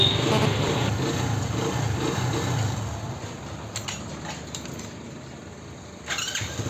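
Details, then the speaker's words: Hero HF Deluxe Eco motorcycle after repairing a self-start fault that previously gave tak-tak clicking without starting: engine catches at once on the button and settles into a steady idle, no clicking or grinding; normal electric start. "Guys इस bike में जो problem थी self starting की वो problem हो गई है solve."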